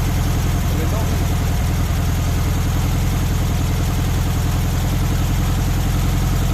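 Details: VW Beetle air-cooled engine after distributor timing set with timing light on the pulley mark: steady, even low-pitched idle, regular beat, no knocks or misses; runs smoothly, timing correct.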